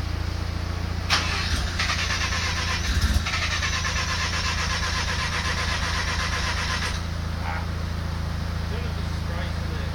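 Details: Mazda RX-7 rotary: steady starter cranking with an even chug about four times a second that never catches; engine cranks but won't start.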